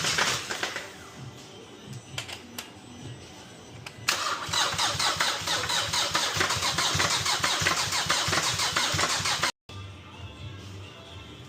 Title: Engine Knock? Nope It’s the Timing Chain#TimingChain#EngineRattle#EngineNoise#CarRepair#MechanicLife